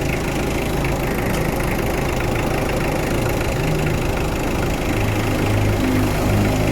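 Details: Mitsubishi Adventure with hard starting, after new alternator carbon brushes: steady even idle holding speed with lights and electrical load on, no knocks or dips; charging okay.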